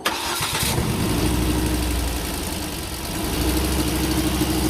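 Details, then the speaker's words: Volvo C30 towed in with power loss: engine cranks and catches, then idles unevenly with a stumbling, shaking beat and strange noises; multiple-cylinder misfire codes. "parte de la inestabilidad en la tembladera del motor se alcanzan a percibir sonidos extraños"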